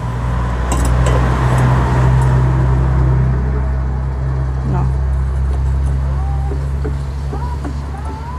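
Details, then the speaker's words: Bench grinder test run after bearing replacement: steady, even low hum with no rumble, knock or wobble as it spins; repaired, working and ready to return to customer, normal run. "ทำสำเร็จแล้วนะคะใช้งานได้แล้วก็ส่งมอบลูกค้าได้เลยค่ะ"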